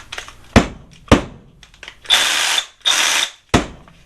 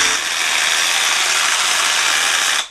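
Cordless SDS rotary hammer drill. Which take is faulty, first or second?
second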